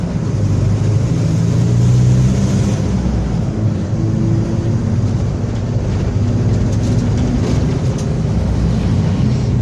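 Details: Onboard a Torino 2014 bus on a Mercedes-Benz OF-1721 BlueTec 5 diesel chassis, recorded 2022: a deep, steady roar under the diesel drone that holds with road speed. Roaring worn rear differential.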